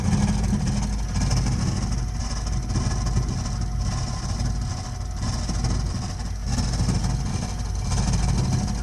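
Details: Burnham Alpine boiler with a continuing loud-noise problem: heavy, steady low roar with a slow swelling rumble about every second; the boiler is burning far too loudly, cause unclear.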